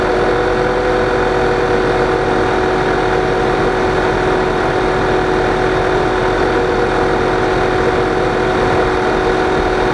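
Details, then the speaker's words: 2009 Volkswagen CC Sport salvage car started after washing and fitting plugs: steady idle under constant whooshing fan roar, cooling fans running nonstop from startup; owner suspects SAM module or ambient air temperature sensor. "so yeah you hear the fans more than anything they're late I don't know if I got a problem with Sam module this seems like they run continuously from when you started"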